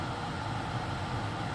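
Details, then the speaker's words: 2013 Toyota Highlander 2WD, 117,000 miles: steady rush of air with a low even hum from the cabin blower after blower motor replacement for clicking; normal sound. "I don't think this is too much but this is a normal sound absolutely"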